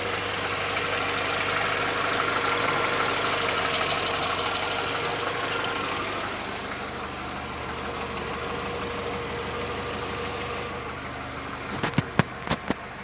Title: Audi A4 1.6 ALZ engine knocking